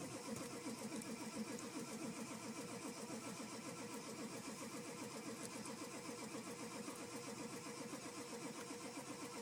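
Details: 7.3 diesel, hard start: steady rhythmic cranking around four compression strokes a second continues throughout without catching; extended cranking.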